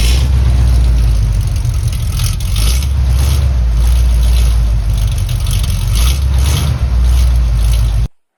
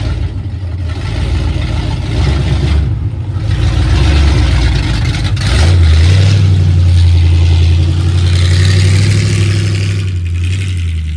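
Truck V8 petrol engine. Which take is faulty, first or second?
second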